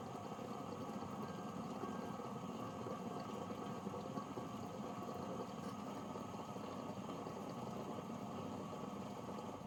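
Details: Rocket espresso machine (owner thinks the rotary-pump model) after a slow refill blamed on a possibly scaled or corroded tank level sensor: even steady pump drone through the shot with no surging or cavitation rattle; pump brewing normally.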